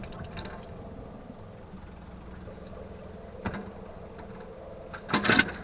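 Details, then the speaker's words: Motorhome tap gurgling and spitting in uneven bursts as the pump draws air in, suspected hole in the tank-to-pump pipe or pump inlet filter. "and it's sucking air in now bear in mind the pipe goes from the tank to the pump and it goes the pump to the tap and the only thing is the length of pipe from the tank to the pump might have a hole in it where it's sucking air in"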